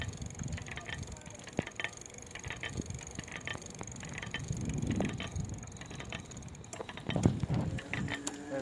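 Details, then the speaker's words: Ancheer folding electric bike: uneven clicking and ratcheting from inside the gearbox/hub motor over low mechanical rumble, only when ridden; source unidentified, and the wheel also scrubs on a misaligned brake. "yes the gearbox makes a sound and"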